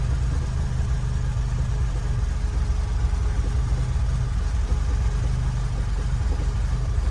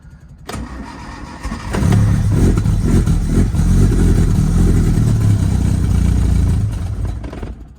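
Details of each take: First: Lotus Elan restomod with carburettors refitted and the fuel line flushed, after idle adjustment: a steady, even idle just under 1000 rpm, a smooth low rumble with no stumble or hunting; normal idle. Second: Lotus Elan restomod, cold start with carbs refitted after fixing a misaligned float pin, two pumps of throttle and no choke. Short crank, fires immediately, then flares into an uneven hunting rev because it is running very lean.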